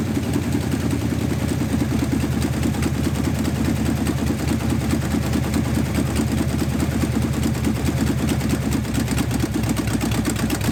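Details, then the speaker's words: 1969 Dodge Charger, engine abandoned and seized, fuel not hooked up: even starter cranking about two turns a second that never catches; turns over but gets no fuel. "I didn't hook the fuel my bad"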